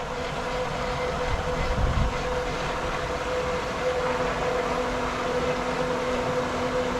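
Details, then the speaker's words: Pool pump being primed with water borrowed from the spa: a steady motor hum over rough, rushing water. It keeps losing prime because there is no check valve. "now I'm gonna borrow a little bit of water from the spa so we Prime up quicker once again there should be a check valve here or else I wouldn't be needing to do this"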